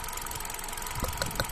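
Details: Hyundai Accent Kappa engine at idle: rough running, with uneven thumps about every fifth of a second breaking the rhythm. A misfire at idle; the cause is suspected but not confirmed.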